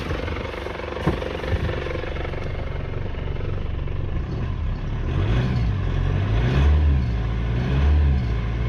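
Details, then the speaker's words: Foton Tunland Cummins 2.8 diesel revved after refurbished injectors fitted: smooth rising rumble, previous knocking gone; sounds healthy. "I'll give it a REV now and then we'll hear if it makes that knocking sound again but so far it sounds sounds good sounds really good"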